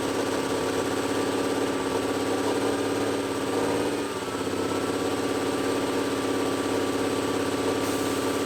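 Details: Old Cummins L10 diesel semi truck, stored roughly 23–30 years, first run on ether, stuck near 2500 rpm; even high-rev drone with no turbo whistle. Turbocharger seized, not spinning.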